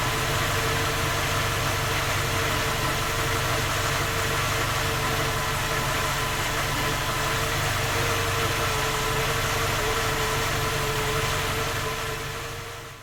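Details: Skoda Octavia A5 facelift 1.6 MPI, cold engine at idle: regular knock about four per second, holding until shut-off; three engine repairs found no fault, knock continues.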